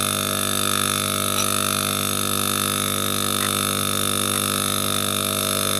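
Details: Refrigerator compressor stuck, causing the fridge not to cool: a steady buzzy electrical hum that never picks up into a running rhythm; the locked compressor just drones without starting.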